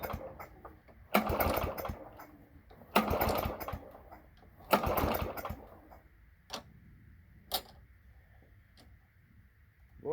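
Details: Toro lawn mower with a 3.5 hp Briggs & Stratton engine, cold December morning: three pull bursts with rattling cranking and no firing; hard cold start. Owner suspects it isn't picking up fuel and the carburetor needs a rebuild.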